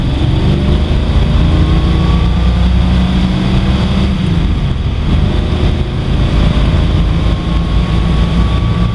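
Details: 1955 Ford driven at speed after an exhaust leak fix, accelerating through second gear to about 70 mph: deep, steady roar climbing with speed over heavy wind noise, no ticking or puffing from the exhaust; quiet, healthy engine under acceleration.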